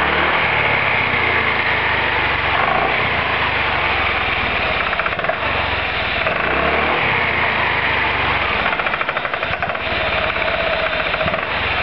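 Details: Roketa MC-54-250B scooter, 1730 miles since July 2008, stalls at every stop. Uneven, lumpy running with ragged revs and irregular stumbles under the exhaust note. Cause: intake and exhaust valves had zero gap at TDC; adjusting the valves fixed it.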